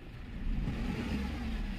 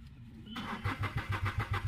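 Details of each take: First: Renault Kwid petrol engine, previously cranking but not starting, running again after its spark plugs were found to be the main problem: it picks up smoothly and holds a steady rev with no misses or stumbles, revving normally. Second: Renault Kwid that stalled while running and now won't restart, with fuel in the tank, plug coils being checked and engine oil leakage noted: the starter cranks steadily for five seconds but the engine never fires. Cranking no-start.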